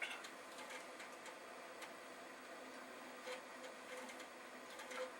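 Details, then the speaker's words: Vintage Commodore Amiga floppy drive reading a disk normally: soft irregular ticks and brief buzzing head seeks in a quiet room. The drive seems to work and could be used to test the other machine. "well this is encouraging I think they've a drive that is reading that means that I could probably use it to test the other machine"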